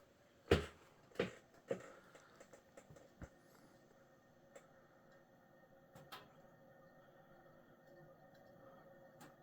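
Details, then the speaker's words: 1985 Fasco Charleston 52" ceiling fan running through its speeds: thin steady whine and scattered dry ticks from dry bearings, plus a wobble likely from imbalance. "as you can hear the bearings have gone dry on this fan I'll definitely have to remedy that issue if I ever were to install it long"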